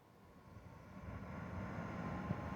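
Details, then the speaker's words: Zotac RTX 4090 AMP Edition graphics card fans, phone near the card, fan speed ramping up to about 50 percent: soft even whoosh swelling as fans spin up, no ticking, buzzing or rattle; normal fan noise. "my computer's under the desk so it's not really much of a bother the noise but again it really doesn't ever go above like 30 um 30 percent"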